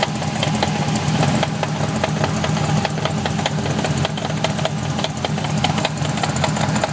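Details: BMW E30 with V8 swap and 5-speed gearbox idling: rough, irregular knocking scattered over the low rumble; gearbox area suspected, cause not pinned down.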